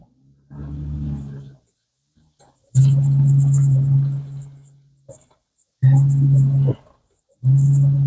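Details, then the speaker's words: 2008 GMC Envoy under acceleration: loud, steady low moan in one-to-two-second bursts with no acceleration, stutter and hesitation; traction control keeps cutting in due to a bad wheel bearing; normal once traction control is switched off. "We're mooing. What is it? Why are we mooing? Can't get any acceleration out of it whatsoever."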